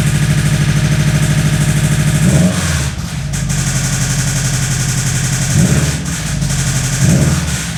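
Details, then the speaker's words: Subaru WRX with an internal knock, blipped to 1500–2000 rpm: uneven knocking drops out for a split second at random, sounds like the passenger side; cause unknown, engine to be pulled and torn down. "man that sounds horrible [Music] it does sound like the passenger side [Music]"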